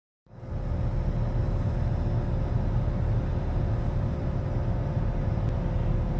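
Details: 2013 Nissan Altima while driving: deep steady hum under road noise with a faint tone on top, pitch changing with speed; earlier told it was not a wheel bearing, but months later it proved to be a worn wheel bearing.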